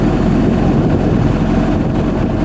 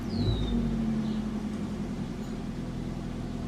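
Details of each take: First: 1987 Toyota Camry LE, 4-cylinder, automatic, warm: low even engine rumble with no stumbles or misses, not a single misfire; smooth healthy steady idle. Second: 1987 Toyota Camry LE, 4-cylinder automatic, shot motor mounts: engine settles into a steady, noticeably high, even hum with no misses, idling faster than it should; cause unknown.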